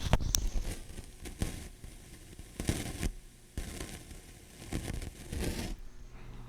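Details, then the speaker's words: Kit-built Scott LK-60B stereo amplifier: irregular crackling and popping over a quiet hiss through the speaker, not from speaker or controls. Likely shot noise from either a leaky capacitor or a transistor. "that is a textbook case of shot noise, I think. So I'm going to turn this off. And that could be because one of those capacitors is going leaky, getting out to the speakers, if you noticed that one. Or it could be, like I said, a transistor"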